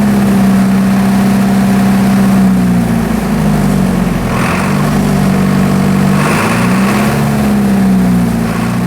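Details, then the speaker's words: Military surplus diesel generator after years of sitting, throttle linkage freed with penetrating oil: steady diesel hum dipping and climbing as throttle is worked, smooth and even; engine healthy, injection pump in good shape. "all right as you can hear I was actually able to rev the engine up and down and engine actually sounds pretty healthy I'd say the injection pumps in pretty good shape"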